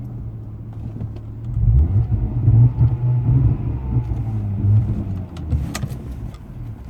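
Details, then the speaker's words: 1997 Jaguar XJ6 X300 XJ Sport 3.2 5-speed manual on the road with no acceleration: engine drone surges and sags unevenly, then fades as it dies; owner concluded a faulty crankshaft position sensor. "we've got a problem there's just no acceleration buy budy moving what the [ __ ] I'm in trouble I've got to pull over what on Earth is happening to this"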